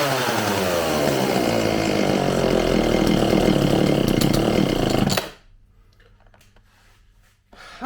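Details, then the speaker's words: Homelite 4620C chainsaw after recoil starter repair, carburetor cleaning and new fuel lines; buzzy high revs that sag and drop abruptly off throttle, hesitation before carburetor adjustment. "it seems like it has a little bit of hesitation off the throttle so i'm gonna adjust this a little bit and see if i can't get any better"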